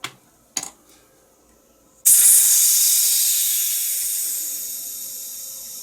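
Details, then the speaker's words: Colibri Dual Flame lighter being refilled with butane after main valve O-ring and seal repair: two small clicks, then a loud high hiss as trapped air sputters out. "I've got some air in there. You hear that sputtering."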